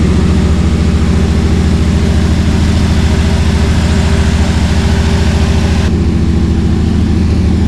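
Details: Cammed Chevy C10 V8 after tune-up, sat for months with dried-out carburetor: deep choppy loping idle, steady rhythm, no stumbles; previous miss gone, healthy.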